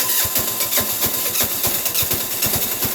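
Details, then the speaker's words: Sears Suburban 6 hp diesel tractor in January cold after a blizzard, block warmed with a propane torch; loose uneven diesel clatter as it catches after long cranking, starter still frosted; hard cold starting. "sounds like it's going but it's not if I like all that this one install no I think I probably said nope nope look at that the starter motor still covered in frost not even hot"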